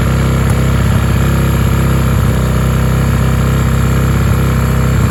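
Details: Honda 450 rebuilt after the crank snapped and the piston went through the bottom end, first start on fresh 93 octane: loud rough idle with a busy clatter over the exhaust; top-end noise, owner suspects loose valves, unconfirmed.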